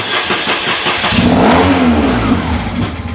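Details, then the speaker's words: BMW R1150 GS, cranking while twisting the throttle, also draining its battery: uneven cranking about three to four pulses a second, then it catches and fires into a rising run; hard starting, owner suspects the Hall effect sensor. "so when I'm pressing the button and I'm turning the throttle it's almost like the more I turn the throttle the quicker the bike cranks and then they let it off and the cranking slows down"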